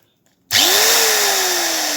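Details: Bosch angle grinder after repair with new power lead fitted, front piece removed; motor spins up smoothly with rising whine to a steady even high hum, runs normally again.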